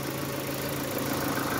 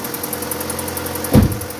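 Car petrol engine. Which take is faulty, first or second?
second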